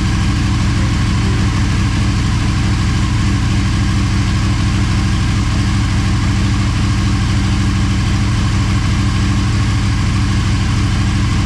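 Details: Motorcycle idling on second start after full teardown and rebuild, coolant and oil topped up: even, steady idle with firm low beat, no knocks, rattles or misses; normal healthy idle.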